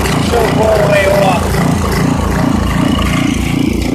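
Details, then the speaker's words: 1989 Briggs & Stratton 5hp 13 cu in engine with 6:1 gear reduction, revived after sitting years; steady slow, labored single-cylinder chuff, running slower than it should, rpm needs raising; no air filter fitted, still needs some choke. "it sounds like it's a little bit it's running a little bit slower than uh it should be so i'm gonna have to speed up the rpm just a bit"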